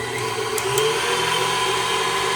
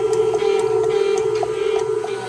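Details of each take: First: KitchenAid Artisan stand mixer after replacing the stripped plastic worm gear and regreasing: smooth, even motor hum, steady tone, no knocking or grinding, working like new. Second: KitchenAid Artisan stand mixer turns on but doesn't spin: steady motor hum with light ticking and no load change, motor spins freely, stripped plastic worm gear before replacement.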